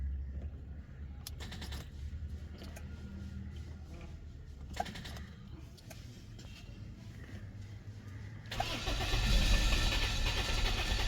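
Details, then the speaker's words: 2005 Toyota Corolla, 166,786 km, check engine light on; starter cranks at steady even rhythm for several seconds but never catches; crank no-start traced to broken coolant temperature sensor wire. "हैं engine crank करता है लेकिन गाड़ी जो है व start नहीं होती"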